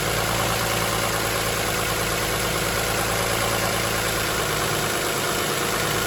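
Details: 2007 Toyota Highlander 3MZ-FE V6 at steady idle with a fine, uneven rattle over the engine note; source not pinned down, and the owner wonders about an exhaust leak, unconfirmed.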